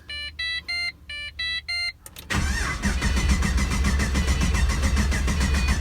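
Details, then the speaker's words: Pontiac GTO: pump heard coming on, a few chimes, then steady even cranking that never fires; gauge shows no fuel pressure, so crank-no-start from no fuel pressure. "nothing is showing on the gauge all right i hear the pump coming on so now i'm really confused why is it not pumping anything"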